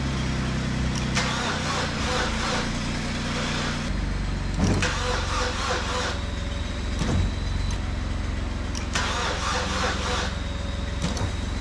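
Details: 2012 Chevy Cruze with the engine just installed: repeated bursts of starter cranking with pauses between, getting faster, but the engine never catches.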